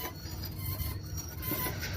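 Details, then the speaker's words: Car rolling on the road: a faint, thin high squeal over low road rumble. The brake pad wear indicator tab is scraping the disc, signalling the worn pads need replacing. "pastilha desgasta tá vendo ó chega a hora de trocar esse ferrinho ele pega na ele pega no disco aqui ó e daí El ele te dá o sinal que você que tá na hora de trocar as pastilha"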